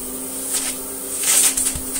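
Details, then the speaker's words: Electrolux Slimline 185 vacuum after repair: a steady mid-pitched motor hum under a loud, airy rush that swells and fades. It is very noisy but has fantastic suction, and the motor runs fine. "still have a favorite suction it's a very noisy hunger fantastic suction nonetheless"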